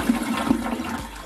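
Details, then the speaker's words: Briggs Vacuity 4400 series vacuum-tank toilet after replacing the tank vacuum seal and wing coupling gaskets: one strong full rush of water with a chugging sound, draining cleanly; poor flushing fixed, normal flush. "Let's see if the water, let's see if it makes that beautiful chugging sound."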